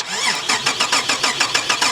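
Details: Holden VR Commodore manual project car with no injection, a possibly replaced part suspected: starter spins evenly at about five to six compression beats a second, never fires; crank no start.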